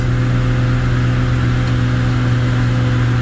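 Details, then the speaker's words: 7060 tractor with 301 diesel hauling grain on hills after the injection pump was turned up: deep, even drone under load with no misses or knocks, holding speed; lugs less than before the adjustment, healthy. "so far I'm sold on him turning that up a little bit. I can just hear it in the engine. It's lugging less."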